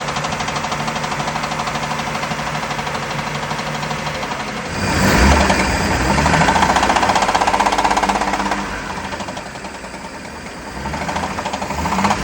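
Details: Volvo Penta boat engine running rough with a steady bottom-end knock about four per second, louder as revs rise; suspected rod knock, engine considered blown and getting a new long block.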